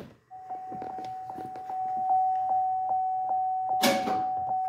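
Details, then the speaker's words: 2011 Cadillac CTS trunk that won't open from the button, with a temporary ground supplied to the black wire: chime ticks, then one sharp clunk as the latch releases; actuator works, fault is a missing ground. "you hear that it actually unlatched guys this thing is not bad this thing is missing a ground that's what's going on here"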